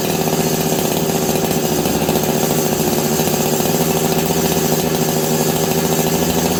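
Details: Long-stored Husqvarna 385 chainsaw: constant high-pitched two-stroke scream held evenly with no bogging, revving out freely; clutch was expanding and grabbing the chain brake; owner suspects an air leak, possibly running lean.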